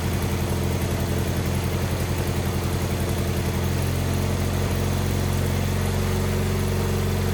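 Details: Wheel Horse 520H garden tractor pulled from a tree row, running on fresh gas from a can: engine holds a steady low-pitched idle on its own, slightly uneven at first then settling smooth; running normally.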